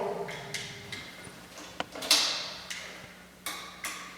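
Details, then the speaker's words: PL400H patient lift control box being converted to PL400HE, hand control plugged in, actuator not yet connected: sharp separate clicks on up/down presses; relays switching normally, batteries well charged. "And when we push the up and down buttons, you can hear some clicking. So you know your batteries are charged pretty well, and you know that the relays in the control box are trying to make it go up and down."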